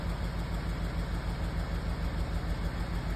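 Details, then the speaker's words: Audi A4 B8 engine shaking with a rough, lumpy idle and an uneven thump about three times a second, also around 2,000 rpm, with no stored codes; the misfire was caused by an aftermarket intake and disappeared once the original was refitted. "But okay, just like, you know, I sell the car a little bit like this, go to 2,000 RPM, you know. And I can see the car is shaking,"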